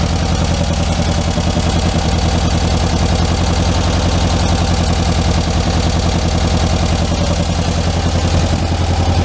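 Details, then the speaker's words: 1967 VW Karmann Ghia convertible, air-cooled flat-four, first start in a long time after the oil cooler leak was fixed: steady, even idle with no misses or knocks and no oil leaks; idle may need tuning. "all right well no oil leaks it runs and drives just fine runs just fine"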